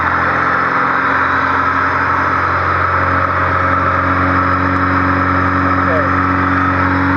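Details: Honda Civic D16Z6 with a high, surging idle not caused by the IACV: the engine holds a fast, steady hum well above normal idle, with extra air past the fast idle thermo valve keeping the revs up.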